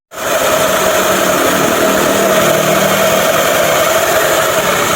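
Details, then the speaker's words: Yamaha NMAX scooter after crankshaft repair (bolt-type thread), crank now pressed tight: revved with an even, smooth buzz and constant tone, no rattle or wobble; before repair it sounded rough and felt loose. Smooth, healthy running. "halus. Ketika udah nge-pres pasti halus suaranya."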